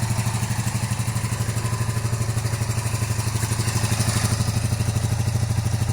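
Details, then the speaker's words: 1982-83 Honda V45 Sabre cafe racer, cold idle with smoke: lumpy, loping beat of about three pulses a second. Only cylinders 1 and 4 are firing and 2 and 3 are dead, so it runs on two of four cylinders; the owner hopes they will fire once warm. "So we have, it's running on 2 cylinders right now. So we have 1 and 4."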